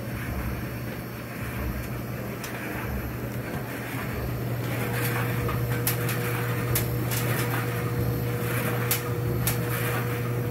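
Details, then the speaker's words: Frigidaire Electrolux Affinity gas dryer after circuit board replacement, on high heat normal cycle: an even low hum and drum rumble with faint creaks from a step stool; it ran a minute without shutting off, normal running. "well so far it's run for one minute it hasn't shut itself off"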